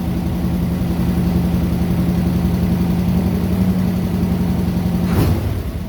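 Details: 1969 Corvette C3, original engine, 66,000 miles, sat 17 years; first start after fuel system cleaning, new fuel filters and a new battery. The big V8 settles into a steady, lumpy idle with an even low drone, then a quick blip. Running fine.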